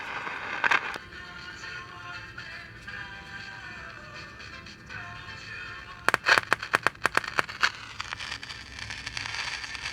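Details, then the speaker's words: 1948 Hoffman radio-TV combo, AM/FM radio section: faint thin music with clustered crackling pops. Silver mica disease in the AM transformer blew a resistor; carbon tracking causes popping. Good sensitivity but too little volume. "so where's the volume at though it should be a lot hotter than this"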